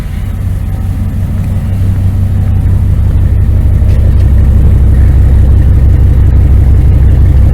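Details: 1999 Dodge Ram 1500 5.9L gas V8 with headers, after new starter, belt tensioner and idler pulley: steady even low burble, smooth idle, no knocks, ticks or squeals; motor sounds good, normal idle.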